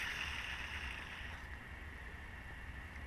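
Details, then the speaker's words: Serpentine-belt idler pulley removed from a 2007 Dodge Durango whose engine whined above 2000–3000 rpm, spun by hand: dry gritty rasp with a faint thin ring as it coasts down; the idler bearing is worn. "yep hear that that bearing feels like it's seen better"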